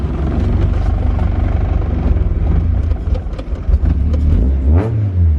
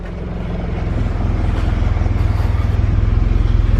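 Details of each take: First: Honda CRX with budget K-swap and new fabricated full 3in exhaust, first start: deep throaty note rising and falling with quick throttle blips, quiet at idle but deeply loud, no knocks or rattles; healthy. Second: Honda CRX with budget K-swap and new fabricated 3in exhaust, first start: loud low idle pulsing unevenly with two to three stumbles a second; untuned engine hiccups below about 1500 rpm, check engine light on.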